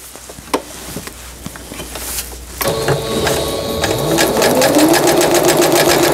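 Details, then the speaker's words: Singer Stylist 7258 sewing machine after repair of an E4 stop-mid-sewing error, a misaligned lower-shaft gear, a sensor fault and a slipped timing belt; in straight stitch the motor spins up smoothly into a quick, even rhythm, with no clunks or grinding. Normal. "반달무늬 다시 돌아가서 직선 바느질로 하겠습니다."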